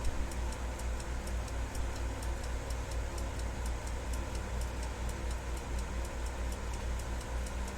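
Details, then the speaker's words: Westclox Big Ben alarm clock movement: steady, even ticking about four times a second over a low background hum; the clock is running normally. "I can hear it's still running."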